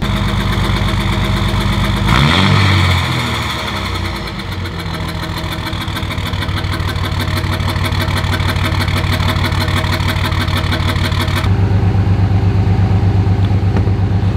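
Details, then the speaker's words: 5.9 24-valve Cummins diesel pickup with no muffler, cold start: it catches, then idles with a lumpy, uneven beat of about two pulses a second, though seeming better than before. Rough idle, cause unclear. "a little cold start you can really hear it seems to be idling better today"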